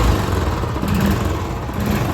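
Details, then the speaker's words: Royal Enfield Classic 350 (BS6) after repair of loose, worn valve guides and timing setting, hydraulic lifters not replaced: soft idle and gentle rev rise with no ticking on throttle; engine quiet and healthy. "Throttle देने में भी कोई आवाज़ नहीं है।"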